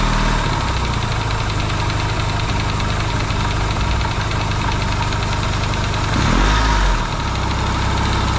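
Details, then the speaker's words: Yamaha XS650 twin, engine just reinstalled in frame after work to cure oil burning, first start: loose lumpy idle with steady low thump and one brief blip, quiet, no pinging or metallic knock; smoking, owner hopes break-in. Normal idle. "first start too and it's idling right off the B that's pretty cool nice and quiet not a lot of pings and bangs"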